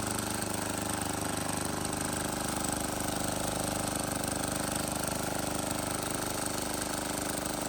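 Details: Wheel Horse 314H tractor with a swapped cheap Chinese diesel on its first test drive: even, fast chug at about three and a half beats a second, steady throughout. Running healthy.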